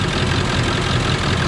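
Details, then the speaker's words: 1999 Ford F450 diesel service truck with service engine and battery lights on: a loud, lumpy, choppy idle running badly on a few cylinders; brittle valve cover harness found, injectors suspected. "while it's running you can hear is running bad on a few cylinders definitely has a choppy ila sloping"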